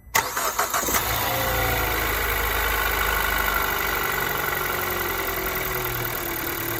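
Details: Kia Ceed 2nd generation 1.6 engine on a cold start: catches after a few quick cranks and settles into a busy cold idle with a faint, fast ticking knock underneath. Cold start engine knock.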